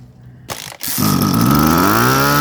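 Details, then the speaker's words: High-pressure washer engine with a float-type carburetor: it coughs, revs up, then cuts out abruptly and won't take throttle. A clogged carburetor main jet is starving it of fuel and is cleaned with wire. Engine stumbles and dies when revving. "เครื่องข้นแบบน้ำครับวูบๆดับๆครับเร่งไม่ขึ้นเร่งวูบเร่งดับฉีดน้ำมันเข้าไป"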